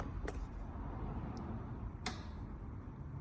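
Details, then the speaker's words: Gas boiler in a Fiat Ducato-based Nu Venture Elise camper, water temperature selected (30–70) and dial turned: two sharp ignition clicks, burner lights straight away; normal ignition, hot water in about half an hour. "You can probably hear that on the video. It lit straight up, and after about half an hour or so again, you should have nice hot water."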